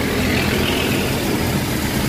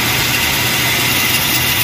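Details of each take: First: Toyota Revo idling after repair of grinding tensioner pulley bearing on the power steering belt side (bearing replaced, not assembly); steady even idle hum with no grinding or squeal; normal idle, noise gone. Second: Toyota Revo engine at idle: constant harsh rough hiss and grind from the tensioner pulley, heard near the power steering; bearing completely worn out, pulley being replaced.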